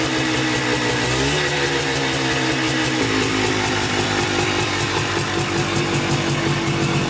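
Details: Polaris Trailblazer 250 two-stroke quad reassembled after cheap eBay top-end kit, second break-in started from cold with throttle blips: crisp, even buzz holding steady idle, clean blips, no dying; runs and idles far better than before.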